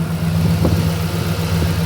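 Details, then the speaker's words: Nissan VK56DE 5.6L V8 being prepared for a junkyard turbo swap, started with oil pressure confirmed: low, steady, even hum with no knocks, ticks or misses; runs great, quiet and smooth at idle. "Okay. This thing runs great. >> This thing's quiet."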